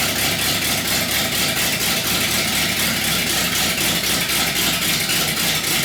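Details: 318 V8 built for a deliberately rough idle: raised compression with Keith Black 6cc domed pistons and a Comp Cams cam; choppy, loping idle with uneven pulses about four per second, steady throughout; intentional lopey cammed idle, not a fault.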